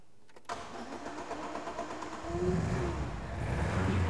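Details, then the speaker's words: Ford Escort RS Turbo (1980s, fuel-injected four-cylinder petrol) brought in with a running fault: starts and settles into an uneven, lumpy limping idle, running on three cylinders instead of four; misfire on one cylinder, cause not yet found. "it's running I can tell by the beat of the engine it's down on one cylinder it's running on three instead of four"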